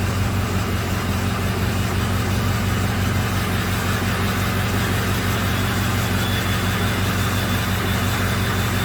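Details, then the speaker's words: 2005 Ford F-350 6.0 diesel idling during cylinder test: uneven, lumpy beat that comes and goes, changing when number four injector is killed; weak cylinder four (driver side second) misfiring intermittently. "when i kill number four injector it sounds completely different"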